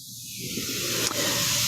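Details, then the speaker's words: Presto pressure canner with weighted gauge: steam hisses out constantly from the weight and keeps building, with no rocking rhythm where the weight should wiggle back and forth. Heat is too high, so the burner needs turning down further. Continuous venting. "Because right now I just have a bunch of, the steam is coming out constantly from the weighted gauge here. So I'm going to turn it down some more."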